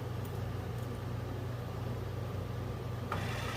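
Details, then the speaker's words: Original generator from a 1963 Ford Fairlane 260 V8, motored on battery: low steady hum with no rising whir, turning sluggishly with little kick; owner suspects brushes or armature. "yeah yeah i think she's fairly much toast right there doesn't have a whole lot of kick in or now it could be the brushes it really very well could be the brushes could be the armature"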